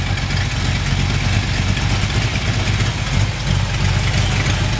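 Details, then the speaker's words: 1968 Plymouth Sport Fury V8, 89,000 original miles, still a little cold, classic-style exhaust: deep steady burble at idle, even beat, no misses or knocks, zero smoke; owner thinks a minor exhaust leak is possible; runs like a top. "zero smoke really really nice sounding this classic style exhaust looks like sounds like it might have a minor minor exhaust leak as it runs like a top"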